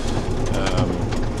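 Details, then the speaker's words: Tractor cab during canola windrowing with GPS autosteer engaged: steady low cab drone with a fine, continuous steering wheel rattle, normal for an autosteer motor mounted on top of the column; much quieter when steering by hand. "You can hear the rattling of the steering wheel and that's just it's just part and parcel of that sort of setup. Um where you've got a motor on top of the steering column effectively."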